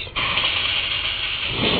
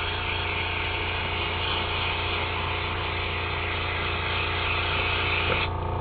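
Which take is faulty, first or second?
first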